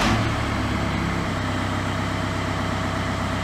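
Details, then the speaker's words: VW Golf Mk5 with a dead instrument cluster, immobiliser switched off so it keeps running: steady, even engine drone with no stumble or dying; normal idle, cluster fault still unresolved. "the carries on running. We can hear it's running, but that hasn't fixed the cluster."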